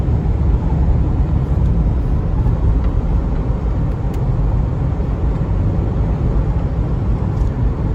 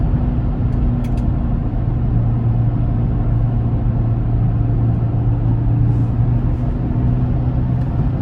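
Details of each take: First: 2004 Chevy Trailblazer LS EXT 4x4, 4.2L six, after replacing front wheel hubs: coasting downhill on smooth pavement, only soft even tyre rumble and wind, no hum rising with speed; front passenger hub hum is gone, hubs healthy. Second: 2004 Chevy Trailblazer EXT LS 4x4 4.2L six, on spare tire test drive: low steady hum and slight vibration changing with speed, from front passenger side, truck pulls right; tire ruled out, front wheel hub bearing suspected, hubs then replaced.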